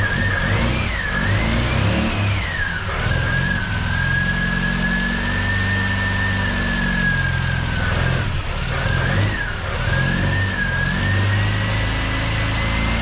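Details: MGB engine, first start after major overhaul and supercharger fitting, no coolant yet, 40-second run: revs rise and fall unevenly with wavering high whine over it; runs rough, needs adjusting, cause unknown, smoke from exhaust.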